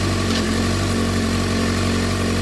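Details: 2007 Suzuki GSX-R600 after CDI/ECU replacement, running after jumper cables disconnected, owner suspects failing stator: steady even low putter with no knocks or misses; normal idle.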